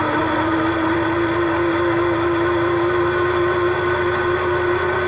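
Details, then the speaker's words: 1965 Corvair engine running: steady high-pitched scream over the engine until shutdown from the worn cooling fan blower bearing, later replaced with a rebuilt bearing assembly. "when we first got the Corvair engine running the fan blower bearing was screaming like crazy"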